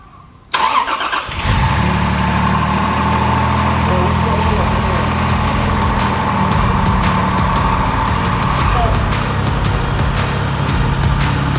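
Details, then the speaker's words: Freshly rebuilt Toyota Supra 2JZ-GTE engine, first start after reinstall and fixing wiring faults: about a second of cranking, fires cleanly and settles into a steady even idle, no misfires or knocks. "That's it, guys, the car's running."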